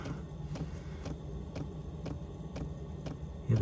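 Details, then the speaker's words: Van heater running: steady, sharp ticks a bit under two per second over a quiet background. This is the fuel pump's normal pulsing. "tick tick tick tick tick tick the fuel pump's like right there that's actually pushing against it"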